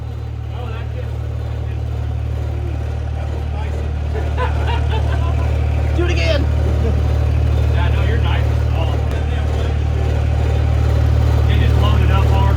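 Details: Pro Street truck with new Rossler TH400, after fixing a loose wire that shut it off when shifting: deep, steady rumble climbs smoothly under throttle with no stumble or cut-out, throwing flames; normal revving.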